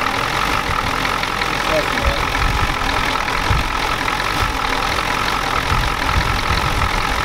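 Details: 1993 Ford F-250 7.3L IDI diesel after sitting since Monday: a loud, ragged clatter with hard knocks throughout the idle. The injection pump was checked and found out of time, it smokes heavily, and the owner lacks the tools to adjust the pump.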